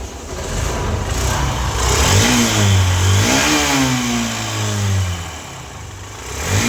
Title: BR03AT4749 ENGINE NOISE PROBLEM